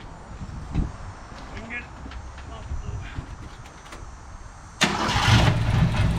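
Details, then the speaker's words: Abandoned 1972 Ford Pinto 4-speed, oil just topped up, with no gas in the tank: weak, uneven turning over with no catch or firing; cranks but won't start because it is out of fuel. "Well. She don't want to crank. She ain't got no gas."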